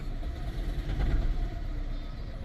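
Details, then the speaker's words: 2014 Toyota Prius, 167,300 miles, oil change overdue, check engine light and growl: cold start gives uneven rough idle with low thumps and knocking; misfire suspected, oil level to be checked. "Actually, let's get it in and check the oil. It's knocking."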